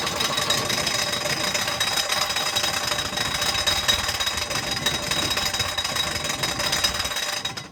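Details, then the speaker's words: Volvo 242 abandoned in woods, run on starting fluid: harsh metallic clatter with thin high squeal over rough running; loose crankshaft pulley, timing suspected too advanced or 180 out. "It's running. That's running. We gotta do something with that crank pulley though."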